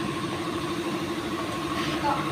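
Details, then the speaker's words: Honda CR-V Gen 3 2.0 idling with AC on after replacing compressor with new Sanden unit and condenser: smooth steady hum, no grinding or rough knocking; compressor cycles normally, temperature normal. "Kompresor baru bekerja dengan lancar saat dinyalakan dan dimatikan, suhu normal Honda CR-V setelah penggantian dengan kompresor dan kondensor asli."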